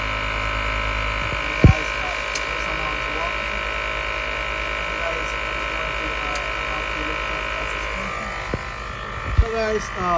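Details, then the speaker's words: Mercedes GL450 W164 Airmatic air suspension compressor (part A1643200304) after fixing a compressor that would not start, engine running: steady electric motor drone with even buzzing and a few clicks, no stalling; compressor running normally. "Alright guys, we start our car, and then we turn on the compressor. Then we go and check if it's running. And guys, you can hear the compressor is making noise."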